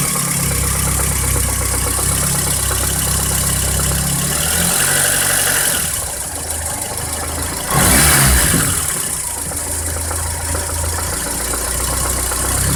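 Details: Idling VAZ 2108 engine with a dull, fairly regular knock about four per second riding over the idle; suspected crankshaft knock.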